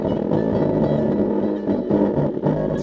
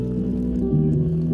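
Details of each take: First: 2005-2013 C6 Corvette passenger lower door speaker, old blown unit: music sounds muffled and buzzy with bass rattling badly instead of thumping; replaced with new speaker. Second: 2005-2013 C6 Corvette passenger lower door speaker playing music after replacement: solid clean bass with no buzzing; the old speaker rattled badly on bass.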